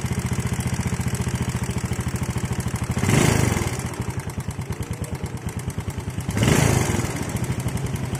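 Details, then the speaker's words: Yamaha Jupiter Z single idling, oil about two months old: fast, light ticking over the putter, steady through blips; valve tick from loose valve clearance, checked before suspecting the piston. "Oke kita akan cek untuk suara yang kemlitik ini ya kita cek dulu ini untuk lemrannya ini baru 2 bulan ya Lur 2 bulan lah sekitar 2 bulan ya Oke kita cek untuk setelan klepnya terlebih dahulu"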